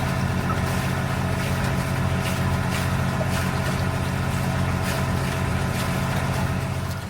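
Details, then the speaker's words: Volvo MD2020 marine diesel in an SJ320 sailboat, after water inlet and exhaust mods adding two water locks to prevent hydrolock: steady, even thrum under gurgling, splashing exhaust water. The exhaust is quieter, no leaks. Normal running. "I think the exhaust is actually a little bit quieter. All you can hear is water coming out rather than kind of exhaust note."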